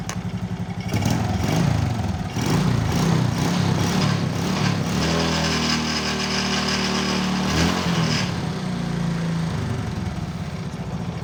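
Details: Motorcycle after repairing a stripped spark plug thread in the cylinder head without engine teardown; a snapping noise was traced to a loose exhaust clamp bolt. Single-cylinder starts immediately and runs with a firm, even beat rising cleanly on throttle blips: normal running.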